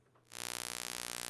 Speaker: That's the noise of the inverter. Now, that's not exactly uncommon. That is extremely common with inverters because they generate noise.